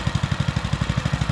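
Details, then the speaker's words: Baja Motorsports Baja Warrior mini bike, small single-cylinder, bought cheaply at auction, started on a very cold day and already off choke, thumps along at a steady, even idle with no misses or knocks; throttle felt a little odd; normal idle. "that was easier than I was expecting that's already off choke and it's just sitting there idling as pretty as it can be"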